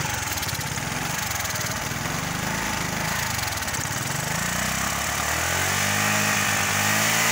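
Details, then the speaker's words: Kymco 125 fuel-injected scooter chugging unevenly at low revs, beats dropping out and never picking up; fuel pump confirmed running, owner suspects too much air and too little fuel or a failed engine control unit; misfire, poor acceleration. "Solo che è il motore che non tira. Come il mio che ho quello dell'altro giorno. Il mio non accelera, va così. Perde colpi."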